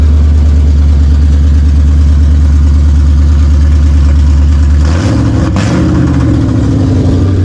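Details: Roush Mustang 4.6 V8 running on long-tube headers with no exhaust: loud, steady open-header idle, then a clean throttle blip that rises and settles smoothly; healthy idle and revving.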